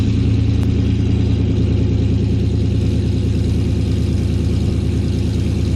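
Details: 2018 GMC Sierra 6.2L V8, slightly warm, after Kooks long-tube header and off-road Y-pipe install, cutout closed so exhaust runs through the muffler: deep, even burble, steady firing pulses, no ticks or misses; normal warm idle.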